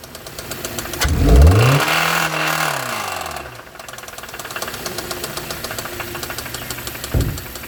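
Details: Hyundai engine: quick rev and fall, then a sharp regular knock tapping through idle and tracking engine speed; rod knock from a worn connecting rod bearing.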